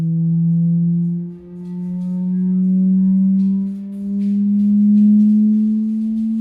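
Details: Samsung HW-Q800A soundbar connected via HDMI to an Insignia Roku TV: steady low hum near 200 Hz drifting slightly upward with faint overtones and nothing playing; unwanted buzz.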